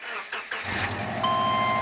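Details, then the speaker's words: Subaru that barely runs with the alternator connected (junkyard engine computer fitted): quick crank, catches at once, settles into steady even idle with no stumble; sounds normal here. "okay sounds just normal sounds fine"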